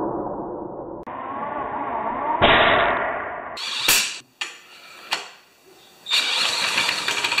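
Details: 196cc single-cylinder plate compactor, previously seized. Owner suspects rusted rings; the piston was freed and fuel was added through the spark plug hole. First start: it catches in bursts, then revs settle to a steady buzz and it runs all right.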